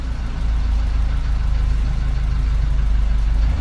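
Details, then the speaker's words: Older Nissan on diagnostics; turning the steering makes the idle swell slightly and steady to compensate for power-steering pressure, smooth low idle with normal idle compensation. "e aumentar ligeiramente o leitinho que é para compensar a pressão que está a ser feita no sistema de direção assistida"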